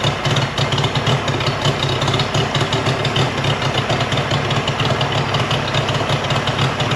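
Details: Mercury 50hp three-cylinder two-stroke outboard saved from junkyard, after full service, new switch box (old failed DVA test at about 230V) and clogged telltale hose cleared: steady even idle firing, no skips, runs great.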